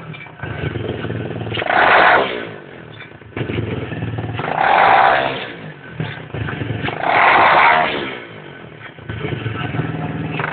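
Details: Lifan 125cc pit bike engine during its running-in period, three throttle blips: a dry rattling grind as each rev falls away. Grinding/rattling on rev down.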